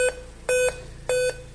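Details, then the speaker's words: Dell Inspiron 15 on bench supply at power-on: short high beeps repeating about every 0.6 seconds, five-beep startup code pointing to CMOS battery fault; it showed image once the CMOS battery was removed. "E ele continua dando 5 bips. Continua com 5 bips."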